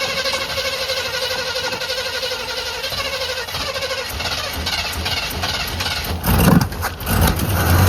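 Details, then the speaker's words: 1985 Chevy C20, sat outside over 10 years, fuel poured in by hand: starter cranking with uneven chugging, brief louder surge that never catches; cranks, no start, owner unsure if out of fuel or flooded. "Well, it cranked, so I think either I'm out of fuel, because I ain't pouring enough."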